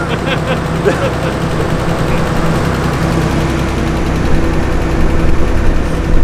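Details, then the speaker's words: 300bhp garage-find car not run for 14 years, first start: rough uneven idle with lumpy pulses and occasional stumbles; sounds like a plug misfire or a cylinder down, suspected, not confirmed. "that's like a plug Miss though is it I don't is it missing much that's Miss that's that's like a plug that's a cylinder D no I think that's the cylinder down it"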